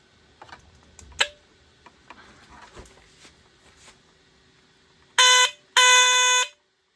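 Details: BRK 769 AC/DC smoke detector plugged in and tested: handling clicks, then two loud piercing horn blasts about a second each, clean and strong; sounds much better now.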